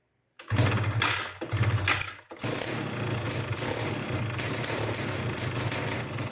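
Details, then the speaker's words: Two-stroke motorcycle engine after reed valve (membrane) reinstallation, fuel primed by cranking to fill the carburetor: a few sputtering cranking bursts, then catches and settles into steady buzzy idle; engine starting and idling. "then we crank it first so that the petrol goes down to the carburetor, then after we crank it a few times, we try to turn it on"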